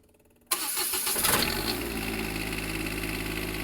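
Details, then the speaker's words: Onan 7500 Quiet Diesel generator in a 2002 Jayco Avatar Cat C7 diesel pusher, started during service: catches immediately with one sharp burst, then a steady, even, quiet hum with no knocks; normal start and idle. "so quiet"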